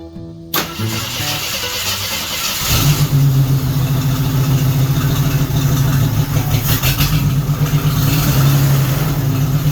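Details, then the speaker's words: 1976 AMC Gremlin 232 inline-six that shakes on acceleration, fuel pump weak: catches after brief cranking, then a low lumpy idle with uneven beat; number 6 dead, fuel or compression issue suspected. "must be a fuel or a compression issue on number 6."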